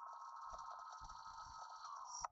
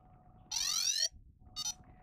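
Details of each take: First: Yuneec Typhoon H drone powered on a table without propellers, simulated error: steady high electronic tone then a loud shrill beep, the 5 motor error warning ("enter five rotor mode"); reset by holding start/stop button. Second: Yuneec Typhoon H drone started without propellers after being reset from the 5 motor error warning beeping: a long rising chirp sweep, then a shorter beep burst, with no repeating warning pattern. Normal startup tones.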